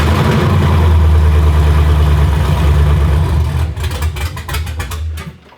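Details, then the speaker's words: 2004 Chevy Silverado V8 with new stage 4 cam, valve springs, pushrods and long tube headers, first test fire on open headers: very loud, deep choppy lope about three beats a second, uneven but steady, then shut down; normal big-cam idle. "that is so effing loud dude I'm pumped about that that sounds so sick"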